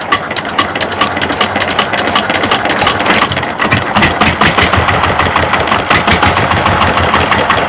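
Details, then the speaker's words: Single-cylinder diesel (rice husk mill engine), unloaded, loud at air filter: slow thump with sharp chuff at intake each cycle; inner valve springs on intake and exhaust valves all broken, intake valve leaking; also heavy exhaust smoke, worn piston rings, low compression. "Ini semua patah, bagian per yang dalam semuanya di bagian klep buang dan juga klep hisapnya ya guys. Untuk itu suara yang dominan kedengaran di klep hisap itu dikarenakan oleh per ini ya guys."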